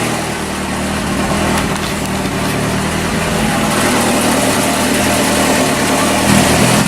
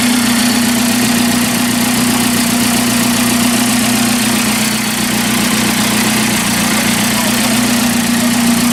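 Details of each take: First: 1981 Alfa Romeo Spider Veloce twin-cam, first start in about 8 years, rear exhaust section missing: loud, raw, blatting unmuffled idle with throaty rasp, slight miss at first; loud exhaust from missing section. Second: 1981 Alfa Romeo Spider Veloce, first run in about 8 years, exhaust section missing, temperature gauge mid-scale: smooth, even idle around 900–1000 rpm with a steady hum and no knocks or misses; normal idle.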